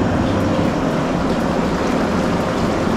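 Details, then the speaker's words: MSpa Alpine Delight inflatable hot tub, bubble function switched on: loud, even rushing of air and bubbling water with no knocks or squeals; blower working normally, just noisy. "Vous devez avoir entendu le volume? Ce n'était pas calme. Vous pouvez entendre la fonction de bulle."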